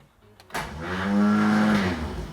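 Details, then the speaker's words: Porsche 911 2.8 RSR build, engine just refitted: the starter winds up to a smooth steady whir for about 1.5 seconds with no cranking beat, spinning freely without meshing the ring gear; owner briefly suspected a stuck solenoid. "is a starter motor that is just spinning freely to itself and for a split second I thought this solenoid stuck no"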